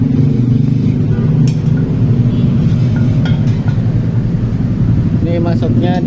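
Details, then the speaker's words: Honda Beat scooter converted from petrol to LPG, running at low gas pressure before idle adjustment: steady low putter with even beat and no stumbling; normal idle on gas. "Karena untuk motor tekanan rendah aja masih udah bisa hidup ya kita dengar suaranya"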